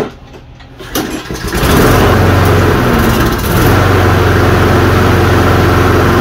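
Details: Toro Recycler self-propelled push mower, 190 cc: catches after a second of cranking and settles into a steady even idle with no stumbling; running normally again.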